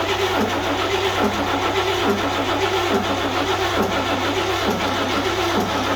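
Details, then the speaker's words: 1941 GMC one-ton pickup, 230ci straight six, just revived: runs at a fast, even idle that never settles and doesn't stay set when the linkage is moved; high idle. "there's another like a high idle on this thing from what i can tell so it doesn't really stay set as i move it"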